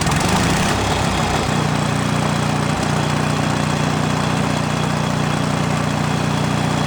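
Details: 1970s Wisconsin inline-twin generator engine, abandoned for years, restarted on a small battery via starter-generator: low, uneven idle with a wandering beat; rough running, carburetor mixture screw needs more adjustment.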